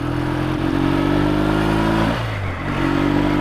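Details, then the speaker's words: Motorcycle just tuned holds a fairly even note, then drops off throttle with an uneven, spluttery pull, rough from closed to quarter throttle but fine when opened up; owner suspects carburetor needles in the wrong slide position, kept stalling. "Still not right now. It's a bit spluttery. So I think I got the needles in the wrong position on the slide."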